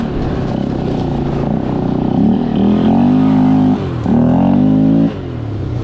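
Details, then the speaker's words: Polaris Scrambler 500 four-wheeler, single-cylinder, barn find that sat 10 years, running after getting fuel, ridden without front end: engine revs cleanly through throttle pulls, pitch rising and falling smoothly, no misses or knocks; normal running under load. "Okay, now this has no front end on it, but that's [Music] fine. That's man. She rips."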